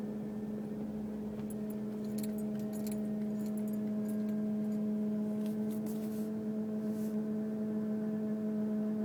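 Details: 2002 Mercury Grand Marquis, 105k+ miles: steady low droning hum from engine compartment while driving, random and intermittent, unrelated to bumps, speed or gear; gauges normal.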